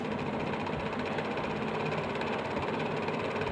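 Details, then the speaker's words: Table fan running with a fast, loose khat-khat rattling knock over the motor hum, typical of a worn front bushing letting the shaft play. "ये खटखट घटता खटखट खटखट का आवाज आ रहा है। कहां से आ रहा है।"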